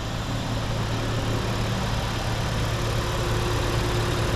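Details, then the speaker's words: 2022 Honda Pilot TrailSport AWD, 211 miles, at idle: smooth quiet constant hum with no ticks, knocks or surging; engine idling evenly and healthy. "and then it's running smooth as to be so"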